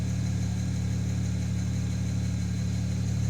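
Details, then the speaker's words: BMW N54 engine at idle: light, fairly regular tick about four times a second over the engine, also described as knocking; source not yet identified. "отсюда как слышно вот это тиканье? Что это вот такое вот"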